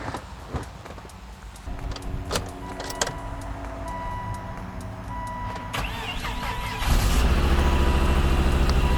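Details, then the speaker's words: 2006 Volvo XC90, five-cylinder turbo, 219,041 miles, bought cheaply: dash chimes and clicks, then the engine starts and idles lumpy and uneven with a hefty misfire, smelling rich. "you can hear it's not super healthy it's got a pretty hefty misfire it smells pretty rich"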